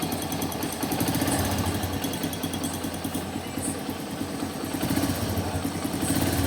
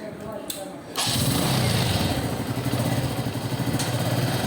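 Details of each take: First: TVS Metro Plus single-cylinder bike before repair: quick, uneven metallic metal-on-metal tapping over idle from the top end; worn rocker pins letting the valve train clatter. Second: TVS Metro Plus single-cylinder bike after rocker pins polished and refitted and timing reset: brief thump, then even steady idle with no top-end tapping; sounds like original, normal idle.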